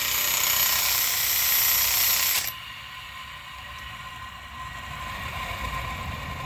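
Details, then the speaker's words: 2005 Ford F-150 4x4 XLT whose engine noise persisted after a lifter and lash adjuster job: removed alternator spun by hand gives a harsh, hissing, squeaky rattle from a worn bearing, suspected source of the noise. "so this is the alternator see if you hear if you can hear now there's a little squeak like a mice noise"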